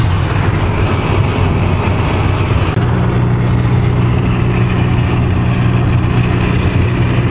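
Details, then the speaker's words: Renault-based Winnebago Lesharo cruising after taping the front edge of the opening window flange with electrical tape: steady low road rumble with no whistling or buffeting; wind noise from the resonating flange is gone. "that little thing right there just covering the lip the front edge of the window made all the difference in the world on both sides the ride was so much quieter so that's the problem"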